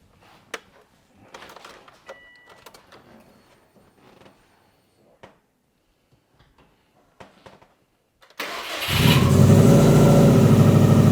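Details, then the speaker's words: 2003 Subaru Impreza WRX, rebuilt engine bought locked up, first ever start, no coolant in: a few clatters, then it catches instantly and settles into a steady, even idle with no knocks; normal start. "boom guys and just like that that was legit had not tried anything instant first start it freaking started"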